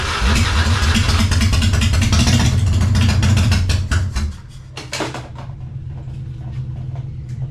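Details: 1999 Harley-Davidson Fatboy after gas tanks cleaned and reinstalled, started on a jump box: starter churns briefly, the twin catches hard and settles into a steady lumpy idle with even firing; normal.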